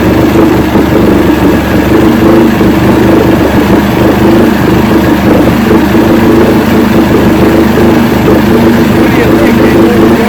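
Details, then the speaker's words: 1970 Evinrude 85 hp two-stroke outboard, hydroelectric shift, new water pump impeller, run in water container, back in neutral after reverse test: smooth steady burble, no stumbles or surging, water noise behind; normal idle, carburetors good. "i'm happy with this i think the carburetors are in good shape at least at the idle"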